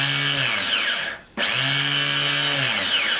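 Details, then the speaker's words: 2001 Kawasaki Bayou 220 ATV starter motor bench-tested with 12 V jumped from the battery positive and grounded to the body: two short, even whines spinning up and down cleanly with no grinding; the starter works fine. "that's working just fine so i don't know what's going on with that"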